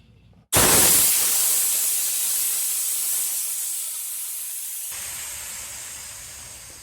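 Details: Stealth 12-gallon quiet air compressor, new on day one, quarter-turn side drain valve opened: sudden loud hiss of escaping air slowly tapering off as the tank drains; normal blowdown.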